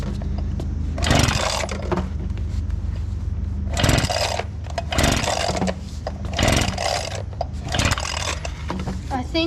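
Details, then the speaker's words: Abandoned small two-stroke leaf blower after sitting, carburetor primed, on cold start: it surges and sags every two to three seconds, running rough. Owner suspects a spark issue; the throttle was also self-advancing. "having a spark issue sounds like it's getting better though oh yeah it's getting better but not that much"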